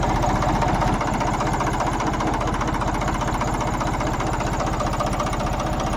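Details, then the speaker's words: Tractor diesel engine after its diesel pump setting was corrected (head also redone earlier): regular, evenly spaced three-cylinder chug at steady idle with no irregular knocks or surging; it takes load well and the sound doesn't change after running. "यह [प्रशंसा] देखो यह आवाज है load भी सही ले रहा लोड नहीं और थोड़े चलने के बाद इसकी आवाज चेंज हो जाथ अब देखो बिल्कुल चेंज नहीं"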